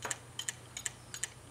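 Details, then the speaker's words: Maxtor DiamondMax 9 80 GB hard drive powered on, sharp double clicks about every third of a second over low hum, caused by a damaged circuit board, fixed by replacing the board. "okay so a clicking hard drive could be caused by damaged circuit board or damaged internal components in this case we have a damaged circuit board"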